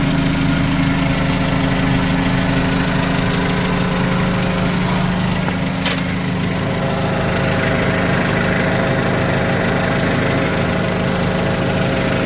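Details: 2008 Mitsubishi Caterpillar 5000 lb dual-fuel forklift during pre-delivery inspection, running on gasoline: steady even idle, constant low hum, no knocks or misses; engine sounds good and strong, normal idle.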